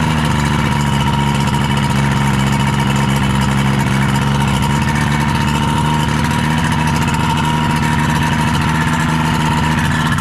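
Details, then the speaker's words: Rebuilt 1976 Mercury 650XS two-stroke race outboard, first test run after sitting 20 years, on a 13ft Delta T850 race boat on the water; smooth, steady idle with an even beat, no stumbling or misfires: normal idle. "I know that someone, like, I've heard that this motor is half of a T2X, but that seems to run and idle perfectly fine."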